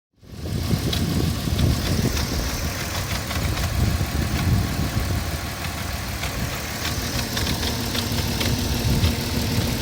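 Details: 2004 Porsche Cayenne 3.2 on LPG, engine cold: busy idle with scattered light ticks and clatter over a rough rumble; noisy when cold, cause not pinned down.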